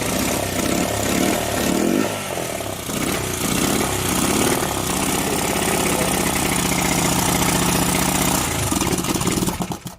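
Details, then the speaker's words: 41-year-old imported Honda XL125S single-cylinder just started with choke, owners think the carb float is sticking; ragged, uneven idle with some hunting before cutting out. "At least we know it's a runner. Right, we'll start doing some of the other bits on it now. Maybe have the carb off and clean it, because it's float sticking on it."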